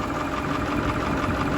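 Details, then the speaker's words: Massey Ferguson 1800 tractor, its engine seized and headed for scrap eight months earlier, idling hot after chisel plowing. Even, unhurried diesel chug with a steady beat and no knocks or rattles; healthy. "listen to that baby just her ain't that beautiful yeah who knew that 8 months ago that was a Seas up engine this was going to the scrapyard and now look at her just singing along like a beauty"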